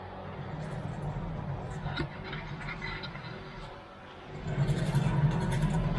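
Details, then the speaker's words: 2011 Toyota Camry on a lift, rear wheel spun freely: low, rough growl swells with light normal pad drag; a worn right rear wheel hub bearing close to locking up, missed by the dealer, later replaced. "That's what we're listening for. That sounds bad. Sounds like a bearing."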